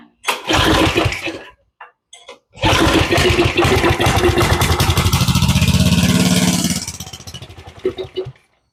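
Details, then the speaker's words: Go-kart 7 hp engine that sat a while, with a rough-looking carburetor, pull-started with starter fluid sprayed into the throttle body: small single fires, a sputter, then it runs briefly and dies; runs only on starter fluid, clogged carburetor. "And that's everything we wanted to hear. So that tells us that our carburetor is in bad shape."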